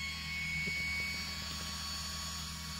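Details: MikroTik CRS310-1G-5S-4S+IN switch, stock fan: steady high-pitched rushing hiss with a thin whine, small fan running loud and fast like a jet; excessive cooling-fan noise before silencing mod.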